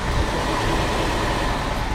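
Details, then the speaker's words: Project V8 that had a lifter tick this morning, warm a couple hours earlier, with good oil pressure on a new gauge: steady, smooth idle with no top-end tapping. The tick is now gone, thought to be oil drained from that side. "So it must have just had all the oil drained out of that side. Oh yeah, you can't hear it at all."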